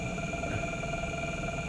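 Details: Generator test rig, adjustable drive motor spinning a small magnet rotor load, turned up to higher voltage around an amp: steady even hum with constant whine, no knocks or wobble; motor holds speed smoothly.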